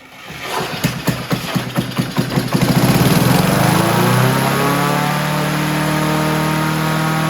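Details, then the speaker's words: Honda HR17 push mower, flathead engine, guessed early-to-mid 1980s, first start: fires with a few coughs then climbs straight to a high steady scream at wide open throttle; governor stuck, kill switch not working. "while well it started and she went wide open heavy red I see why that's doing that and the kill switch don't work but it did start that's a plus let's see see just set you guys here for a minute so the Govern is stuck"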